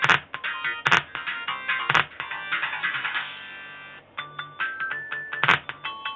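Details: Irem Bomberman World M99 arcade board with bad RAM and bad capacitors: loud game audio harsh and buzzy with clipped peaks; distorted sound suspected from failed capacitors, not confirmed.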